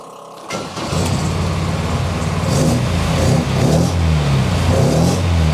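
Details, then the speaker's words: MGB GT with freshly rebuilt Weber DCOE carburetor and fuel pressure regulator set to about 300 grams, first start after long lay-up: catches, runs steadily, takes clean blips with crisp return; running smoothly. "we have come to the end of this video and I hope that you enjoyed it as much as I did everything seems to be running quite smoothly"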